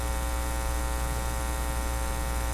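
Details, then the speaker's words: Philips PH202 vacuum tube console record player, phono output connected and turned up; loud constant low mains hum with no signal, cartridge produces nothing when touched, hum from dead phono cartridge. "I'll turn it up. Lots of hum. Lots and lots of hum."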